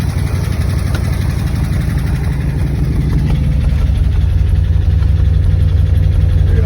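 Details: Buick Nailhead V8 after replacing the rocker shaft assembly, lifter preload set to .040, oil pressure 45 psi, first start: smooth, steady low idle with no ticking; valve clatter gone, so the rocker shaft was the cause.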